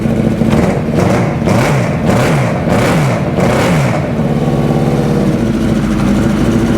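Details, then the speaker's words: 2000 Suzuki Hayabusa with a fuel pump making 42 psi that drops right back off: lumpy, chugging idle with uneven pulses as cylinders one and two drop out. "sounds like it's still dropping those two cylinders for some reason that's very very interesting it's chugging on one and two I bet"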